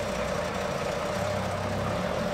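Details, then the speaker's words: 2009 MINI R56 Cooper Diesel at idle, bought needing a new engine because the top end has reportedly gone: a steady, busy, very rattly clatter over a low drone, rattlier than normal. The engine rattle is suspected to be top-end, not confirmed. "one doesn't sound too good either sounds very rattly"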